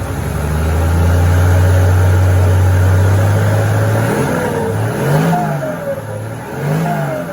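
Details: TF08 with an H07D diesel, racing valve springs, turbo and a new pump, freshly built. A deep drone climbs smoothly through a long rev and settles back without stumbling, partly covered by music: running healthy.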